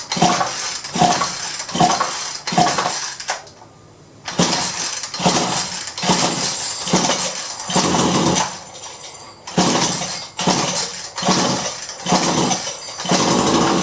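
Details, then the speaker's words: Solo 643IP chainsaw, gas dribbled into cylinder: repeated pull-cord rasps about one per second with a faint attempt to catch, no run; spark confirmed, compression present but seems a little low, carburetor to be cleaned as suspected fault. "hope you can hear that it did kind of try so we know it's gettin spark'd there is some compression I think it's a little low but I did dribble some gas in there so and it was trying to crank"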